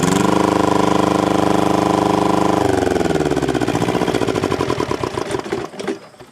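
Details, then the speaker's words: Thermo King TriPac APU, Yanmar 570cc liquid-cooled inline-2 diesel, governor screw backed out to rev, exhaust broken off at muffler: steady fast hammering then clean wind-down, virtually no smoke under hard acceleration; normal diesel run. "as you saw there was virtually no smoke coming out of it even under you know hard acceleration going"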